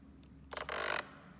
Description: used it a few times then suddenly i get this grinding noise. sounds like there is a problem with the motor.